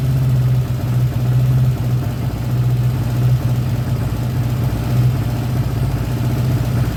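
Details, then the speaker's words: 1979 Honda GL1000 Goldwing first start after carburetor rebuild, no choke; low, lumpy idle stumbling every couple of seconds, puffing smoke on one side; carbon buildup suspected, may foul plugs. "besides puffing a little bit too here we're going to burn all that off before we can get this thing running right"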